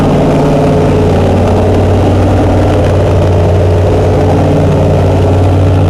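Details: Chrysler 440 Six Pack triple two-barrel carbureted V8, after replacing a damaged gasket beside the power valve: deep, steady idle with strong low hum and even beat, no misses or knocks; normal idle.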